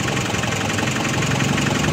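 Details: Nissan NV350 van that cranked but wouldn't start after flood water reached its fuse box, now fixed after part replacement: steady, even idle with smooth low rumble, no misses; normal idle.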